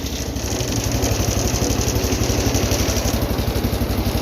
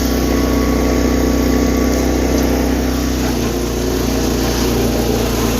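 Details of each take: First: 210 lawn tractor after carburetor rebuild (leaking bowl gasket), air filter on; started without choke for the first time. Small single-cylinder thumping evenly about four beats a second at slow throttle, smooth, no misses or hunting; healthy idle, much better than before. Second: 210 lawn tractor, best-running unit, being readied for sale; carburetor bowl gasket leak being fixed with rebuild kit. Engine runs steadily under a loud ringing noise while driving that stops when the brake is pushed slightly; owner suspects the pulley, unconfirmed.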